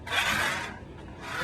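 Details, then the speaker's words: Ninco Fiat slot car after repair with one screw to cure hopping, punched through a test-track corner: fast whir surging on each pass, smooth with no hopping chatter; running normally. "nothing and take a listen nothing and the control it just feel so much better it's not even the same car at this point but just one simple screw"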